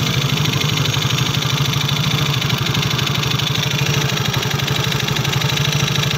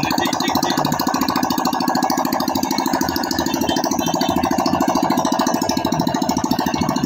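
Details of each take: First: Yamaha Soul GT scooter brought in for noisy engine, oil found almost empty after three months without an oil change: fast, busy mechanical clatter over a rough idle, harsher than normal. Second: Yamaha Soul GT scooter after internal cleaning and reassembly following oil starvation from late oil changes: quick, even ticking about three per second with light rattle on top; engine idles normally.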